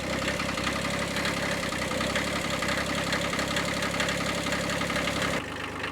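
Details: Kubota B7100 diesel tractor in cold weather, first start right after fitting a new cheap group 51R battery to replace a 7-year-old one. Even diesel clatter at steady idle, no misses or heavy knocks. Normal diesel idle.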